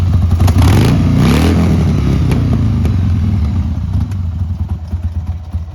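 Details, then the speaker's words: 1995 Harley-Davidson Sportster 1200 XL, about 24,460–26,000 miles, jump-started with no battery: uneven spluttering V-twin beat about four pulses a second, faltering and stumbling; lumpy running, seller suspects it needs carb clean and service. "It's a bit lumpy. Needs a carb clean and bit of a service. I'm sure it'll be fine. Motor sounds good."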